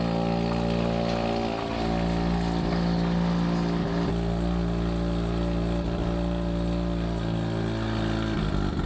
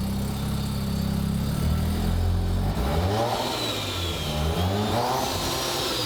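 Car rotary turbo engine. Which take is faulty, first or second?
second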